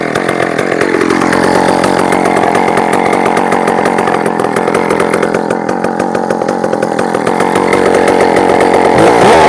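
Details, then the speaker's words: Chainsaw at high idle with an exposed, untaped wire the owner suspects is touching the case and earthing the chip: the buzzing beat stumbles unevenly with dropped firing pulses, but it sounds fine revved up; suspected miss at idle, unconfirmed. "I think the chip is earthing the wire is exposed there no tape or anything wrapped around it I think it might be touching the case somewhere that's why sort of sounds like it's got a miss"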